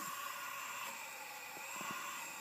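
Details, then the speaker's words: Acura Integra B18B1 engine off at top dead center on number four cylinder during a leak-down test (head checked before drilling broken distributor bolts): steady hiss of air leaking past the exhaust valve; exhaust valve leakage, head needs work. "we have a tub the center on number three cylinder and again we have exhaust valve issues"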